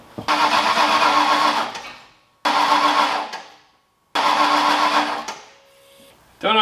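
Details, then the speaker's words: Ford Foxbody engine just rebuilt in one day, cranking at 3:30 am; three cranks of about a second and a half each, engine spins but never catches; owner suspects injector issues. "so at this point it's 3 30 in the morning and I'm having injector issues"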